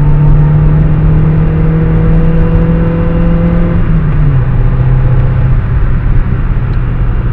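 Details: VW MQ200 (02T) gearbox driven about 50–60 thousand km with the damage: low rumble with a steady whirring tone that drops in pitch as the car slows, from a failed gearbox bearing.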